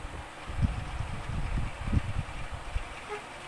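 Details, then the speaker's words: Electric fan, motor running: uneven low thumping and rattling under the fan hum from the back; bushing first suspected, but on opening a broken rear spacer/stopper found, letting the rotor knock. "Pero yun nga meron yang maingay sa likod kung nadinig niyo. So bubuksan natin para siguradong kung malaman natin kung ano yung sira niya."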